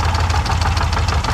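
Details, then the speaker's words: 2005 Lincoln Aviator V8 idling with rapid, sharp top-end ticking in a steady beat, loudest on the passenger side; knock traced by screwdriver to the top end, a faulty hydraulic lash adjuster. "You can put a screwdriver on it and kind of just feel where the noise is coming from, and it feels like it's up here. So we're not going to run it too long. Just wanted you to be able to hear it. Sounds pretty rough."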